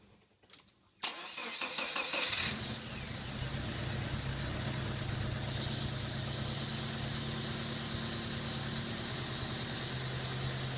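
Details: Subaru EA82T turbo flat-four on Megasquirt MS3x, cranked after the coil and injector relay fuses are refitted: brief cranking catches quickly, a short rev, then an even, steady idle; normal start and idle.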